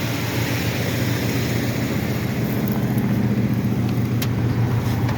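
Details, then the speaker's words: 1969 Ford Mustang Mach 1, first start in months on a cold day without choke: deep, even V8 burble at idle, about three to four pulses a second, smooth with no misses or knocks; normal idle. "boy he barred right up too didn't fight me and it's cold out I didn't have to choke"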